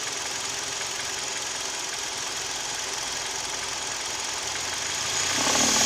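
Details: Kia/Hyundai G4KD Theta II petrol engine, recorded from inside the cabin: light regular tapping knock about three a second at idle that persists as A/C compressor clutch and mirror, glass and seat heaters load it; owner suspects piston knock.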